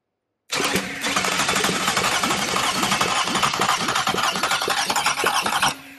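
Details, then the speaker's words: Bench-run Toyota 2GR-FE V6 on a shop floor, wired to a Sienna ECU for an MR2 swap, filled with old oil: steady, even starter cranking at about four pulses a second with no uneven beats; compression sounds good. "before we go any further let's make sure it cranks and sounds like it's got compression"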